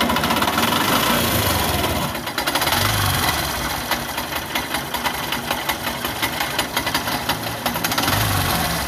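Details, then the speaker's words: Yamaha YTX single at idle: fast, uneven scraping ticks near the magneto side; all three bolts of the starter (Bendix) drive found snapped, fixed by replacing the bolts. "So ito nga ang problema mga bossing. Naputol yung turnilyo ng BX drive. Ayan yung tatlong turnilyo naputol."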